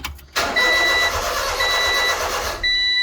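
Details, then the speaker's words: Honda Acty after valve cover gasket and distributor O-ring replacement; starter cranks at an even pace but it never catches despite spark present; crank no-start caused by ignition timing 180 degrees out. "No start. Now, knowing we mess with spark, the first thing it would probably be a good idea to check the spark."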